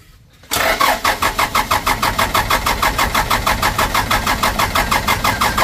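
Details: Toyota Dyna diesel after injection pump rear-end repair, plunger replacement and new filters, fuel being primed: steady starter cranking at about three compressions a second, engine never catches; no-start from air in the fuel system.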